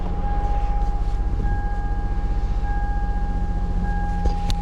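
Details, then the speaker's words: 2001 Toyota Sienna, customer complaint of dead miss on cylinder 2 (P0302), plug and coil already replaced: lumpy uneven idle stumbling about four times a second; one cylinder dead. "Customer complaint is there's a dead miss. I think they replaced the coil in the plug."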